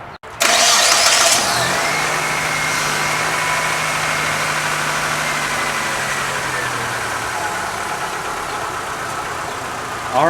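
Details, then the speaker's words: 2002 Mitsubishi Lancer idling after AC compressor replacement and belt retensioning, compressor not engaged; cranks, catches and settles to a smooth, even idle with no squeal or chirp; normal idle, no belt squeak. "now that the belt's tight you want to at least strum it like a guitar string now i'm going to turn the car on and make sure it doesn't squeak"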